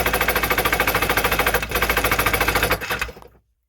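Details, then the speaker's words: Two-stroke jet ski/Sea-Doo started on gas poured in by hand, firing on the first or second crank: sharp, rapid rattle at about 3.5 beats per second, then it stumbles and quits abruptly. The owner thinks it ran out of the poured fuel. "I think it ran out of the gas I put in here I'll try and do it one more time okay it fired which was good"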